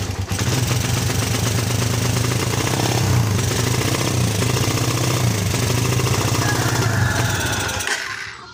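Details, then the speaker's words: Suzuki Satria FU that stumbles and won't ride, after fitting a new spark plug: revs unevenly and stutters, then dies, unchanged. "Dan ternyata masih tetap sama, belum ada perubahan."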